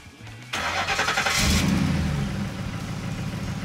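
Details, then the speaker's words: Ford F-150 5.4L 3-valve V8 that had been misfiring, after a tune-up with new spark plugs, coils and O2 sensors: quick crank, clean catch and brief flare, then a steady, even idle with no misses or ticks; normal start and idle. "look at that smooth as silk sound very good it sounds very good"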